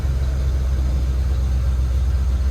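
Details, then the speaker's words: 1978 Jeep Cherokee SJ, unstarted for at least a year, after a short drive: a steady deep rumble held at a fast, even idle with no dip, oil pressure climbing with idle and temperature rising. Idling high. "that is unreal all right so we got her back then she's definitely idling high but uh oil pressure looks good it's climbing with the idle"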